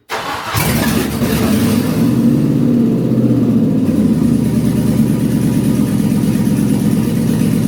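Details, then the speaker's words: Discovery 2 with LS V8 swap, first start on conventional oil with zinc additive after restoring fuel pressure to almost 50 psi: catches immediately and settles into a loud, steady, deep rumble without stumbles; runs fine. "I've got a good feeling it's going to start now. Here we go. Oh, that's loud."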